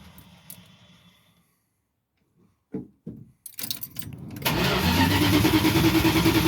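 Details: Van start attempt after sitting about two months with fresh fuel in it: after a few clunks the starter spins at a steady, even pace with a faint whir, but the engine never catches; crank no start, spark or fuel suspected.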